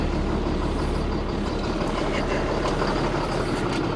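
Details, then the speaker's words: Ford F650 service truck with Caterpillar C7 diesel, first start after being sold as inoperable, needed starting spray; grid heater bad, air compressor line leaking; steady even diesel clatter with no knocks or misses, engine sounds great; normal running. "It's alive. >> Yeah, grid heater is bad. Super common on a C7. Oh, we got leaks. >> Excellent. >> Engine sounds great, dude."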